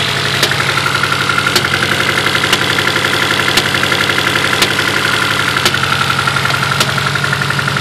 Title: Misfire?